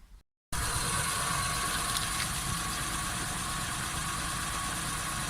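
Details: Volkswagen Polo Sedan with the raised left front wheel spinning, engine running; smooth, with no hum or growl from the hub, unlike the right front bearing found faulty at inspection: healthy wheel bearing.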